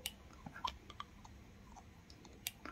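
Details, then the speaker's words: Side oil pump for a Yamaha RX King New, turned by hand with the engine off. Sharp light clicks come every fraction of a second, meaning the pump works normally. No clicks, or minutes between clicks, would suggest a problem. "Nah kalau udah begini Insya Allah dipastikan popoknya Jalan normal cukup begini aja iya"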